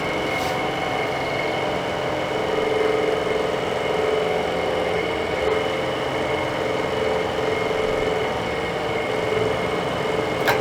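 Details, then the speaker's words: Dometic RV furnace removed from its case: steady, low blower motor hum that never builds speed; too weak to hold the sail switch closed, suspected bad fan motor. "the fan still doesn't sound good that motor doesn't sound good"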